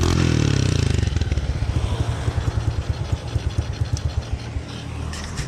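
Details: Honda Kharisma-based custom Honda Monkey-style bike with muffled exhaust: after kick start the single thumps unevenly at idle, beats stumbling and fading; rough idle, carburetor likely needs adjustment.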